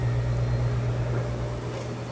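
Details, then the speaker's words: Kenmore Elite high-efficiency washer doing a fast spin within the rinse cycle on a normal casual heavy load of jeans and towels: a smooth, steady hum with a constant low tone and no thumping or banging; sounds great. "within the rinse portion. See, it's nice, smooth, sounds great."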